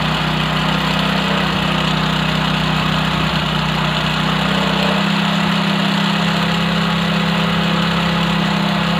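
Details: Single-cylinder bike idling steadily as the idle is lowered by air screw adjustment to about 1000–1400 rpm, the beat dropping smoothly midway; clean, even running with a healthy carburetor and a normal idle.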